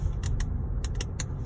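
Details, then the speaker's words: Pilot 3 radio/infotainment: sharp, irregular crackles about two or three per second over a low steady hum. They continue with the volume at zero and with the audio turned off; crackling noise of unknown cause. "is off crackling sound continues I shot the video"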